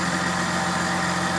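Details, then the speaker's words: Idling during a power steering fluid flush after the lines were reconnected: steady high whine with bubbling as the pump is low on fluid and draws air. The whine stops once the fluid is topped up. "You hear that power steering pump whining like a [ __ ] bubbling up inside there."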